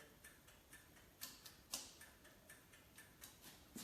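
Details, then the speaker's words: 1978 Kawasaki KZ200/175 converted to 4000 W electric, ignition on, turn signals set up like the original: crisp, even ticking about twice a second in a quiet room. Normal turn signal flasher. "i have turn signals set up just like the original motorcycle"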